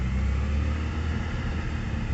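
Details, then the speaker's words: Mazda RX-7 rotary, started in neutral with no throttle, having first seemed to run on only one rotor: rough, lumpy, stumbling idle. Heavy misfire, then it stalls; it later flooded. "It's misfiring pretty heavily now though. And it died."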